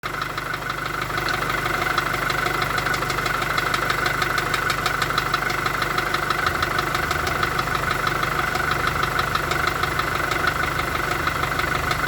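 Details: VW Golf 4 1.4 16V at idle: crisp, very regular internal engine knock about three per second over steady idle; source unknown.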